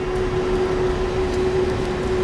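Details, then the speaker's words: Airbus A330 engine run-up after storage, warming up while N1 and EGT are monitored: steady, even turbine roar with constant tone, no surging or popping; engine running normally. "so slowly the engine is starting to warm up you can hear the background the engine is starting"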